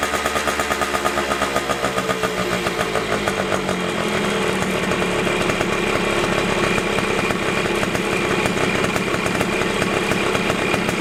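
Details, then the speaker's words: Two-stroke dirt bike after backing out the idle screw that was set too far in: starts buzzing high, revs sag over a few seconds and settle to an even idle; high idle from idle screw set too far in. "le screw is in too far so if you twist it in it'll idle really high if you twist it out it'll out lower you just want to listen to it and this Auto screw right here is just in too far"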